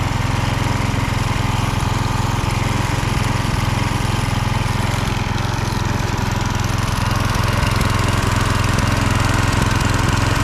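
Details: Husqvarna HU 625HWT string trimmer, a non-runner, after an oil change filled to the max mark, run outside while burning oil off the muffler: smooth, constant hum at a steady speed with no stumbles or knocks; running fine.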